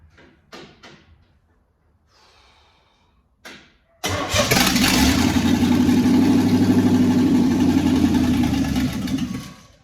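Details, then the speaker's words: 1963 Chevy C10, first start on the key after replacing a bad starter: cranks, catches with a rough mid-pitched rumble for about five seconds, then sags and dies. Owner suspects it ran out of gas and was running on carb cleaner. "think we ran out a little bit of gas. We're running a little bit on just carb cleaner."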